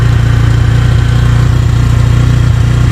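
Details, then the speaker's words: 2024 Bajaj Pulsar N150 engine, held at about 4000 rpm while stationary: deep, even exhaust drone with smooth, regular pulses and no knock. Very little vibration; normal running at raised rpm. "ही कम तो देखा आपने यहां पर हमने 4000 तक यहां पर RPM ले गए और यहां पर बिल्कुल ही कम वाइब्रेशन है अभी तक तो"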